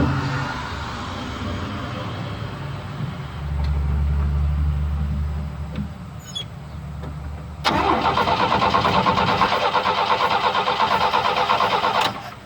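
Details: 1972 Chevy pickup after sitting a long time, a little gas poured into the carburettor: steady starter grind for several seconds, then a louder burst as the old V8 catches and runs unevenly.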